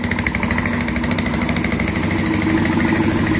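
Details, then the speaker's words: Yamaha Fazer 150 motorcycle at idle: a steady, rough growl that sounds like a bad bearing. Unplugging the stator connector changes the sound and the noise stops when revved, so the stator is defective, not a bearing. "Unos mecânicos aí falaram que era rolamento não é rolamento é o estator que tá com defeito pega a dica"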